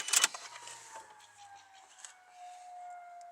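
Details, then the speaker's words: Nissan 180SX (Silvia) ex-drift car, fixer-upper, key-on after fitting a spare battery: click then faint steady high whine for a few seconds; fuel pump priming, though the tank turned out empty. "The fuel pump's priming pretty."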